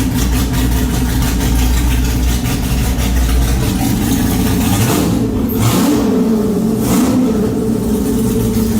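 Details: Superlite car on a new exhaust with an X-pipe, temporarily run with no mufflers, out of gear: a loud, raw, blatty idle with a hard bark on each throttle blip from the open, unsilenced exhaust.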